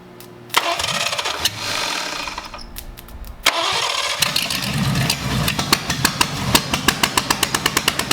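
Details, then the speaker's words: Abandoned Cadillac 331 V8, just bought, start attempt with borrowed plug wires and cleaned points: catches on cranking, fires briefly and fades, catches again, then sputters into uneven pops and dies; fuel pump suspected of not delivering fuel, not confirmed. "nope i don't think that fuel pump nope i don't think that fuel pump's doing its thing all right stop"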